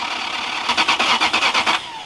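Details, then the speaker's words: Lexus LS430 that sat abandoned, battery and throttle body just refitted: fast, even cranking for about a second, then it stops without firing; cranks but won't start. Owner suspects an unplugged sensor plug or low-pressure fuel pump connector. "I wonder if it won't kick over because of that sensor."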